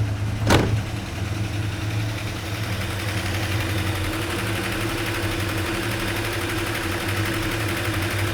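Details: 1974 Dodge D100 shortbed, 360 V8, restored after sitting about 10 years with manifolds freshly installed: engine catches with a quick burst then settles into a smooth, even, slightly fast idle with no misses or knocks.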